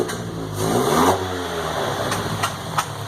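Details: MK2 VW GTI converted from fuel injection to four Yamaha R1 carbs, fuel pressure set near 3, first start: uneven idle a little high with sharp pops and spits; carburetor sputtering, cause unknown, owner wondered if it was cold; no leaks, doesn't smell rich.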